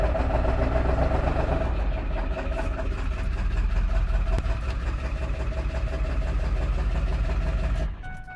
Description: This rough idle just started!